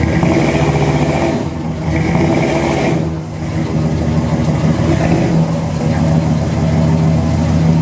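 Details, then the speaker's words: 1977 Chevrolet C10 V8 with Flowmaster-style exhaust, restarted next day after sitting nearly 2 years: cranks right up, deep burble with revs lifting and settling, runs steadily and healthy. "All right, we can crank right up and it's sitting there running."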